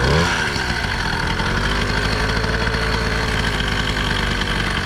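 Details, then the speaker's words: Newly built motorized bicycle "The Black Duck", first start after a bare-chassis build: small two-stroke idling with a dull, muffled buzz and soft low burble, like a tractor, not a crisp rasp; owner suspects the different engine, cause unconfirmed. "Sounds weird though. What the fuck? It sounds muffled. Yeah. It almost sounds like a tractor, bro. Right?"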